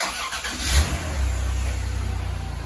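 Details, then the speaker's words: Van engine, repeatedly overheated, reassembled after repair, first start: cranks, catches quickly and settles into a low, even, quiet idle with no tick, purring; little or no smoke. "it sounds like a a purring kitten I don't even hear a tick that is surprisingly quiet"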